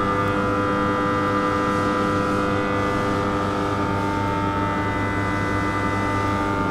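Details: TM 1000 kVA 10/0.5 kV power transformer with a steady, even electrical hum and no crackling or sharp noises; whether its hum is normal is left undetermined.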